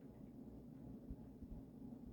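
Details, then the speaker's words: Emerson 1895 Series 52" four-speed ceiling fan with a KB55 two-speed motor (extra speeds likely via resistors): low, steady electrical hum with a rough buzzing edge; motor runs noisier than some KB55s. "KB55s pretty hit or miss. I've experienced some that are dead silent and some that are pretty noisy like this one, but they're nice powerful motors."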